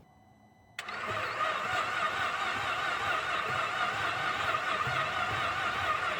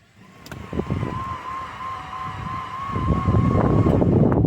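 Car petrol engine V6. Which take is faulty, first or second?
first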